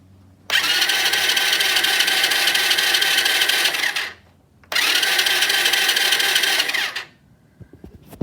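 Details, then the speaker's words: Supercharged postie bike engine, cranked after a loud crack killed it, with no spark plug or ignition: two even cranking bursts with a smooth whir and no knocks or grinding. Cranking sounds normal; the owner suspects the noise may differ under load. "everything seems to work I have no idea what happened I have to resume that noise is now normal maybe under load with a spark plug in"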